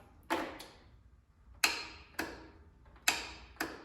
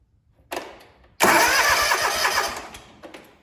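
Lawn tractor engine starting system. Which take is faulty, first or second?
first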